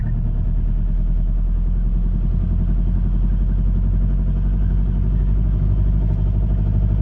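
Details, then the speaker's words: High-mileage ex-Amazon van, sat dead for months, bump-started in second gear while towed: deep diesel clatter catches and keeps running; owner suspects ignition switch issues. "so Kieran was now pulling me and this for Transit essentially giving this engine a bump start"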